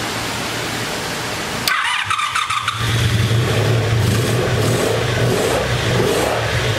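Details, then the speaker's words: Abandoned 1984 Honda Saber VF700S V4 after fresh oil, new ignition coils and idle screw adjustment, air box off: steady, even running with a brief rev blip and no knocks or rattles; normal running. "i just went ahead and drained it out put some fresh oil and i think i got the idle squeeze time so let's crank it up now should have been cooled off with that fresh oil sounds good"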